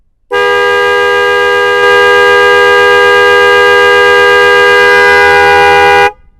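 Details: Yamaha Vixion motorcycle with two Denso snail horns newly fitted through a 30 A 12 V relay and fuse: a loud, steady two-tone blare held about six seconds, clean and even like a train horn; both horns sound properly.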